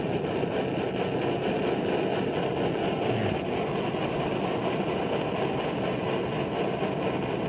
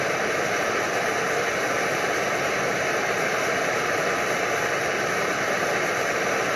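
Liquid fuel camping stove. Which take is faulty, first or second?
second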